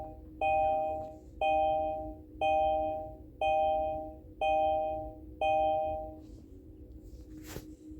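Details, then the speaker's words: Kia e-Niro being switched off: six evenly spaced two-tone chimes about one a second, then silence; this is the car's normal shutdown chime, not a fault, though the owner finds it annoying. "You switch it off and maybe it's very nice in Korea, but if you are a taxi driver and you spend the whole day in the car, this sound start to get into you. King, king, king, king."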